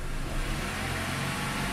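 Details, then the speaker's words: 1997 Honda Accord EX 2.2L after ECT sensor work for P0118, held at 2000–2500 rpm to warm up as the coolant rises from 168 to 181°F and the thermostat nears opening: steady, even hum, no knocks; healthy raised idle. "i'll bring it up to 2000 or 2500 rpms to help warm it up you can see we're now at 179 181 that's typically when the thermostat opens on most of these hondas"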